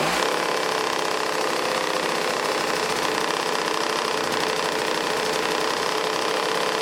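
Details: 1980s Toro S-200 snowblower two-stroke engine after carburetor work, primed with old fuel and choke left on a while: fast, even buzz holding steady with no misses or surging, running on its own; normal running.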